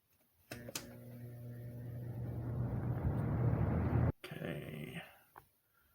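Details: 2006 Lasko 3733 box fan, about 17 years old, restored, stepped up from low to medium speed: low steady motor hum with a soft airy rush that builds as the fan settles at speed, smooth and even; normal running.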